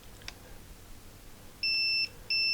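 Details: Atari 65XE keyboard membrane being tested with multimeter on continuity setting: two clean steady high beeps, each under half a second; continuity present on that section of the trace, while another path to CTRL/SHIFT/BREAK keys is open.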